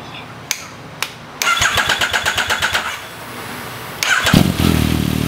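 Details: 2014 Yamaha MT-09, 28,000 km, automatic cam chain tensioner deliberately slackened: starter whirrs in pulses, engine catches, light metallic chatter at idle; cam chain rattle from loose tensioner, fixed by snugging an M6x25 bolt against tensioner.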